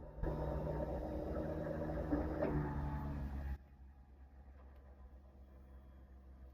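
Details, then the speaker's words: 1991 Toyota MR2 Turbo, sat over 10 years, new fuel pump in tank fed 12 volts for leak test: even low electric whir that steadies then drops as it goes under load, suggesting fuel pressure; normal fuel pump operation. "I haven't heard a fuel pump turn in this tank yet. So, let's see if this uh this works here. Don't know if you can hear that, but the pump sounds like it's going"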